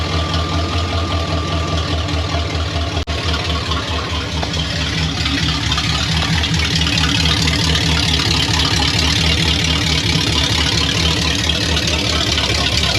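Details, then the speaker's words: Chevy 1500 OBS truck swapped from 4.3 V6 to 350 V8, ECM from a running 1992 350: sharp start then steady even V8 idle, no misses or knocks; sounds healthy, not yet driven. "So this thing will fire up. We haven't even drove it yet, but we have started it, so I do know that ECM is good for it now. Sounds good."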